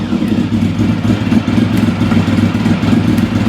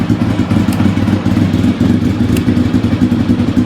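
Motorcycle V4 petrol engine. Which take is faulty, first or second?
second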